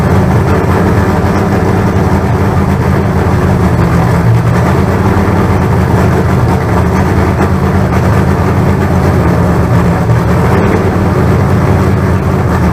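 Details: Freshly built 388 small-block Chevy V8. Deep, steady rumble at an even fast idle with no knocks, ticks or misses; about 80 psi oil pressure, running healthy.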